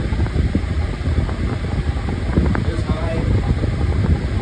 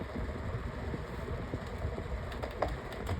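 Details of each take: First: Pedestal fan on low speed while oscillating: steady, even whoosh of air sweeping side to side, quiet, with no rattle, tick or scrape; smooth oscillation, running normally. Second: 10-blade, four-speed pedestal fan on speed one: hum with an uneven low rumble and a faint rattle as the motor housing shakes badly; the vibration has worsened over time.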